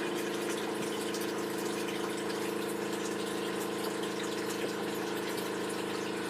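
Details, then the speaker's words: Solar shed water pump, fixed, running from the battery system: even, steady motor hum with a light water rush, no grinding or speed dips, no fuses blown; normal pump running. "so I have it working now and it doesn't blow any fuses there's not seven a half amp fuse up here the other is on and then now then switch it on so you can hear it now running"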